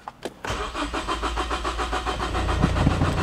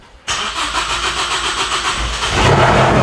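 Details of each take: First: Big-turbo Ford Focus ST, first start attempt after a year, after replacing the high-side fuel pressure sensor on the fuel rail: the starter churns at 3–4 pulses a second and never catches. Fuel pump is next to be replaced. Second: Big-turbo Ford Focus ST, first start after a year, fuel pump heard priming: it cranks briefly, catches cleanly, settles into a steady run, then picks up revs. A healthy start.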